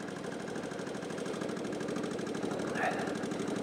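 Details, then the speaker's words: 2000 Kawasaki VN15 (VN1500), UK model, 32K on the clock, unused for several months. Light, regular ticking of about three to four per second over a soft idle. Suspected valve clearance noise, not confirmed. "it sounds like from listening to the engine it's all sounds sweet enough but i can hear a um like a valve clearance noise so that might want an adjustment there"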